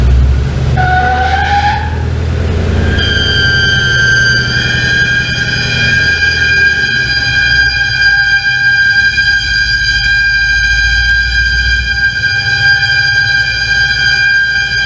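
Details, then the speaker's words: Coyote V8-swapped Ford Ranger idling: a piercing, steady high-pitched squeal like a pig that seems to come from the crankcase area, appearing when a rag is pulled out; owner suspects a vacuum leak, cause unconfirmed. "I don't know why it sounds so weird way down there. If we had just something, if there's creating that much of a vacuum leak or a vacuum right here that it's squealing and it makes it sound like it's coming from the crankcase area or what,"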